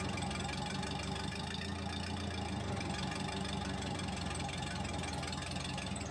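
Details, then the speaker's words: Case 450D dozer diesel with Roosa Master DBGFCC431-27AJ injection pump, after repairing the throttle linkage a stump broke off; slow, heavy, lazy idle throb, still idling too low even with adjustment turned down as far as it goes. "so the idle's still pretty low but we ended up moving it back closer"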